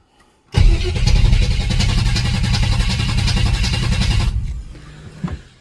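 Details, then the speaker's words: Chevy S10 with 355 small-block V8 after head-gasket repair from over-advanced timing and new roller lifters: steady cranking, about four turns a second, never fires even with starting fluid; compression 150, fault suspected to be no spark. "things first let's try a little starting fluid if it hits on that we know it's fuel [Music] all right so it's not fuel so now i pull spark plugs and check compression"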